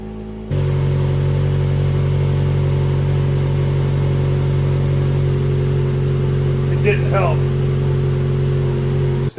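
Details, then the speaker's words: Scumbag Miata kart exhaust, rebuilt with a header and RTV in place of a missing gasket, at a fast idle: a loud, buzzy, raspy, flatulent drone, poorly muffled, like a wet fart. "sounds like a wet fart"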